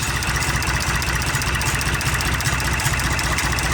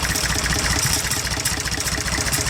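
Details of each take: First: IH 484 diesel tractor with a PLN injection system, idling in about 55°F weather. Deep, even chug at about 150 beats a minute with no tapping or misses; still very smoky but sounds much better than before; idles smoothly. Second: IH 484 mechanical diesel tractor at idle, air filter removed, injector line to cylinder 1 cracked to find a miss. Busy clatter barely changes, unlike cylinders 2 and 3, pointing to a dead number 1 cylinder.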